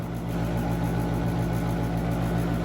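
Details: Central AC outdoor unit in Woodbury, New York, 24 V present: a steady low compressor hum and constant fan drone that never cycles off. Single-pole contactor stuck closed ran it all holiday weekend; a refrigeration issue is also suspected.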